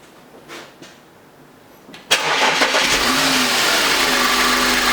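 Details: Audi A8 3.2 FSI after intake carbon cleaning and manifold refit: quick crank and clean catch, revs flare then settle into a steady, even idle with no stumble; normal start.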